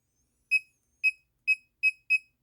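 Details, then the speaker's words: Laser projection keyboard, muted, backspace key held down: short high beeps about twice a second, five in a row, still sound despite mute; doesn't happen with single presses, cause unknown. "so let's actually mute it so I already muted it and um if I press the back key here to delete everything that I have so if I hold it I'm going to hear that beeping sound again"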